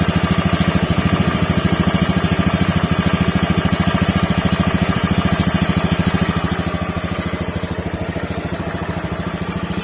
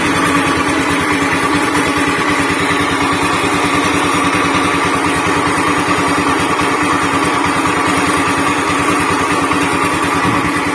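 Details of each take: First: Honda Beat FI scooter after repair of rough helicopter-like noise: steady, even single-cylinder putter about two to three beats a second, no rough flutter or knock; noise gone, normal idle. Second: Honda Beat FI scooter with rough noise from engine centre: fast, coarse chopping rumble like a helicopter under steady idle, before CVT removal and repair; worn crankshaft bearing.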